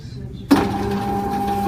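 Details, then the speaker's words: Norvell Auto Revolution Plus spray tan booth after upper stepper motor replacement, power restored: click then steady even motor hum as the arm returns home; smooth, normal operation. "so that's going to reboot our booth and then if everything works we'll see that top motor start to spin and arm and gun and everything go go to that home position"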